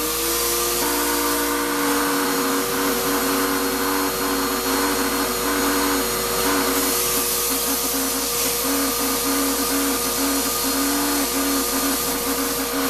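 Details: Shop-Vac vacuuming coarse grit from a rock tumbler: a loud, strained whine wavering in pitch over a gritty rush, with very little suction. The motor is likely ruined by dust drawn through before a separator was fitted.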